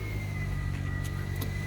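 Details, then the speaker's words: Toyota Corolla just after starter replacement; it started right up and the system is charging 14 volts, cooling fan not yet refitted. Steady, even low idle hum with no knocks, misses or squeals: normal idle. "so there you go simple to do it i didn't put the fan yet but i'm just gonna put it right on see the engine is running see the system is charging 14 volts that's pretty good"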